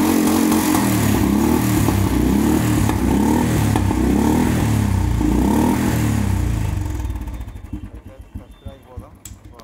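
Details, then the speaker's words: Royal Enfield 350 BS6 with a misfire and pickup complaint, kick-started because of a weak battery: steady even single-cylinder thump with no skips or stumbles, then winds down; no misfire at idle, to be checked at 80–90 km/h. "And missing అయితే ఏం అవుతలేదు"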